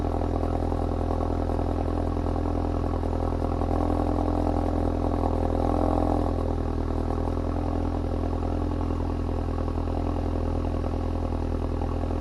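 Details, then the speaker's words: Ford Focus RS at cold start: a loud, steady low drone with a hollow, boomy exhaust note at fast cold idle. The exhaust valve opens on startup so flow isn't restricted; the owner plans an exhaust valve delete plug. "As you can see, when you start the car, the valve is open. Just to make sure that it doesn't restrict flow for the first idle time."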